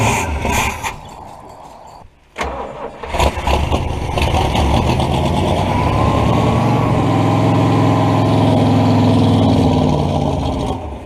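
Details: Buick 455 V8 mud truck, first start in about 10 years after filling the float bowl and priming the pump: a few cranking bursts, then it catches into a steady, deep idle at about four beats a second. Oil pressure is seen, with an oil leak at the valve cover.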